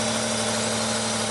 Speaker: you take the middle one there's no change in the engine go back to the back one you can hear the change in the engine back to the Miss there's no change even when we take it completely out so this one is our problem